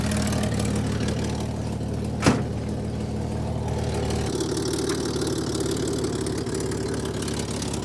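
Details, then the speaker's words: Chevy Corvair air-cooled six after a swap to new-old carburetors, started cold outdoors at about 18°F: a quiet, steady idle holding on its own, apart from one sharp click. Normal cold idle. "we've got two of the air cooled cars in sub 20° fit temperatures idling on their own which is huge for my pile of junk"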